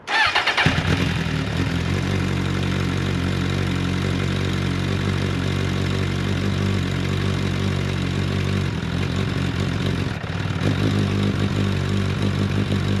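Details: Mk1 Suzuki Bandit 1200, 19,000 miles, cold start on choke: cranks briefly, catches cleanly and settles into an even, steady choke idle with no knocks or misfires; healthy cold start.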